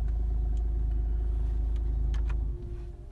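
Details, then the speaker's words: Renault 1.5 dCi diesel after a starting problem was repaired and fault codes were cleared, no warning lights: deep even rumble, steady firing pulses about four per second, no knocks or misses, normal diesel idle. "j'ai pas de voyant tout fonctionne correctement"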